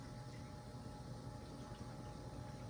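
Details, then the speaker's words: Emerson/Sears Turn of the Century ceiling fan on high: a steady low hum with a thin constant tone, no knocking. It also hums on the lowest speed with all screws checked. Loud running noise on high, cause unknown. "now this fan does make a lot of noise on high don't know if y'all can hear that but yeah definitely makes a lot of noise for high"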